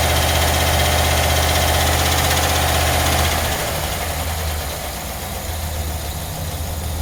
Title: Chevy Van Weird Sound (Check Engine Light On)